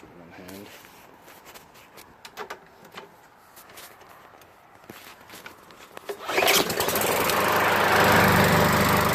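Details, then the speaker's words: Craftsman push mower with Briggs & Stratton 550 engine and plastic carburetor, bought for $10, needed only oil added: some rattling, then catches at once into a steady even roar with no misses; starts right up, healthy. "well that's an easy flip right pick that up put some oil in it starts right up"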